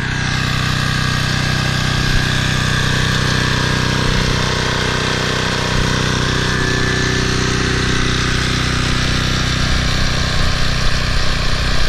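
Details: Toro Personal Pace 20333 mower, Briggs & Stratton 190cc engine, restarted on its new aftermarket carburetor with correct governor shoulder bolt: steady, even drone with constant beat, no misses or surging; runs smoothly, normal.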